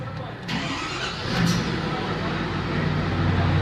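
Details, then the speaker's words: 2010 Ford F350 6.4L diesel after repairing exhaust leaks at both manifolds: it cranks, catches and settles into a steady, even, quiet idle, then is revved, with no ticking or puffing; the exhaust leak is gone. "nice and quiet let's rev it up a few times here that sounds way better"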